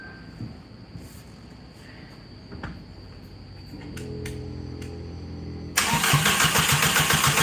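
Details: Even starter churn at nearly four beats a second, then a sudden loud burst, while cranking a newly installed engine; unsure whether the fuel feed and return lines are plugged in correctly; an unbolted valve cover later leaks oil.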